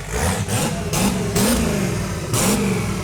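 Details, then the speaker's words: 1971 Datsun 240Z "Rotsun" turbo V8, overheated many times before, just started with fuel pressure 7, maybe no boost: quick crisp blips rise and fall cleanly from steady idle, no knock, miss or rattle; revs freely, healthy. "You know, for an engine that we overheated 97 times, it runs pretty good. It's not bad."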